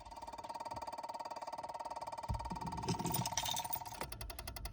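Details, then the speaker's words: Peugeot 107 / Citroën C1 with the vehicle switched off: steady electronic ticking of about four a second with a faint buzz from the faulty electric power steering unit. The car also has no power assist and a red power steering light; the fix is replacing the unit. "And yeah, every time the vehicle is off, I get this weird like ticking noise basically."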